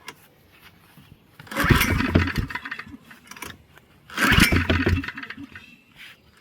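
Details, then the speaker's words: Heavily used Generac 3500XL generator that sat three years in a shed, now with gas, oil, spark and air restored. Two pulls, each catching with a slight knock and rough sputter for about a second, then dying. "Well, that pretty much ran. Let's see what happens as we play with it a little bit more. She's running and dead."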